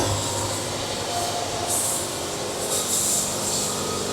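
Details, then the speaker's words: Sawmill cutting a cherry log cant through the cracked pith: steady, hissy cutting roar whose high ring shifts and brightens in patches as the band blade hits the cracks; audible tone change. "In that no-fly zone, you can hear it on the sawmill as it hits these things. You can hear the tone change."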